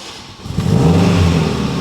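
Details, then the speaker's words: Mitsubishi Evo 8 restoration, first start-up after sitting a long time: brief crank, catches at once and settles to a smooth steady idle, 85 PSI oil pressure; healthy start. "hey there we go 85 PSI oil pressure like we never left"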